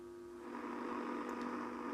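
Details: Philips Model 148 tube radio with a full set of new tubes but deaf: audio stage works, yet tuning across the band gives only a steady low hum and faint hiss, no stations. Cause found to be a shorted front-end capacitor.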